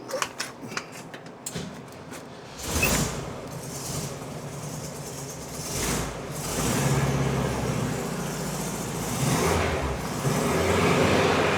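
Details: 1971 VW Bus air-cooled flat-four, which another shop said needs an engine: after a few clicks it settles into a steady, even run with no knocks or rattles; the engine sounds healthy.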